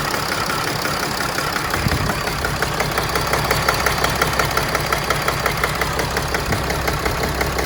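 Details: 2011 Mercedes Sprinter diesel, pending code P2610: rough idle with clattery beat near two per second wavering slightly in strength; cause unknown.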